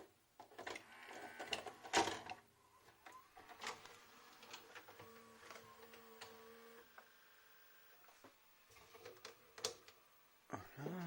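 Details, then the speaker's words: 1998 JVC HR-J756MS VHS recorder that had been left out in the rain, loading a cassette: motor whirs and gears click, then faint tones falter and cut out; owner suspects the head drum stops; mechanism struggling, drum stalling. "j'ai l'impression que c'est la tête de lecture qui j'ai l'impression que ça la tête de lecture qui s'arrête"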